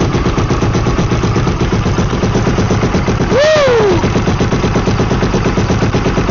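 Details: Freshly rebuilt Yamaha YFZ450R single-cylinder engine (rebuilt after missing first-gear tooth), first start after installation with fluids filled, on choke: quick, regular popping idle holding steady with brief whistle-like sweep; running normally.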